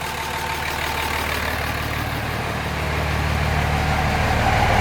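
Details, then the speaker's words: 2005 common-rail Cummins swapped into a 2008 Ford F-350 dually, idling after a fix for combustion noise escaping through the intake. Steady, even diesel clatter with no misses or smoke. Runs much better; normal diesel idle. "oh that is way better [Applause] yeah it sounds good now"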